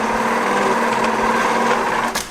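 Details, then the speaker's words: 1929 Dodge that sat over 40 years, cranked on its repaired starter: fast, even whirring crank with almost no chuffing between strokes, perhaps the slightest compression on one cylinder. Low compression. "It sounds like there's the slightest distant whiff of compression on like one of them. That thing's not going to turn any good with compression."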